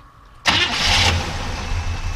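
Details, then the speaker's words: 1968 Chevrolet Impala, original car with great-running V8 and power steering, fresh motor mounts and engine service: short crank, then it catches at once and settles into a deep, even idle; clean, healthy start. "actually runs really nice and starts starts nice very sneak"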